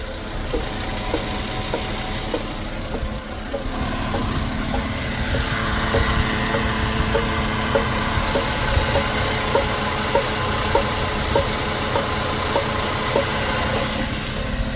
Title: clicking noise MK6 Golf 2012 2.5 automatic transmission 09G